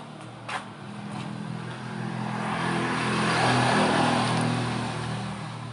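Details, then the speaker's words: Motorcycle single-cylinder engine after its rebuild, head modification, valve clearance setting and carburetor cleaning and tuning: a smooth idle at about four beats a second with a gentle swell in revs, no knocks or rattles, a normal idle. "Nih guys, bisa kalian dengar sendiri ya, suara mesinnya halus."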